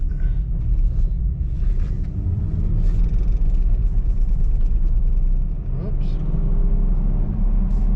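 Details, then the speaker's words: Nissan Xterra brought in for a suspected transmission issue, road test verifying the repair: deep, even engine rumble under road noise accelerating to 60 mph, temperatures staying normal, no misses or rattles; running normally. "far so good getting up to speed like normal temperatures staying good where's that 60 mile an hour no problems whatnot"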